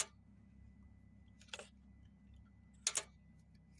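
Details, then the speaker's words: Chrysler 200, no crank, no start, with the starter circuit jumped: a few sharp, isolated clicks with no cranking. The mechanic concludes the starter is faulty, since the car was just parked and the motor isn't locked up. "I could hear the starter engaging um when I press when I hit them together. That automatically lets me know that the circuit is reaching down there."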